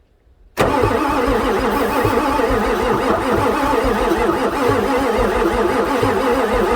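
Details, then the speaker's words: 1994 Ford F-450 7.3 diesel, booster-assisted, air intake off, ether used, almost no intake vacuum felt while cranking. Steady cranking with no attempt to fire; owner suspects it is out of time but cannot confirm. "doesn't make any attempt to fire so it's like it's out of time and I got no way of confirming timing"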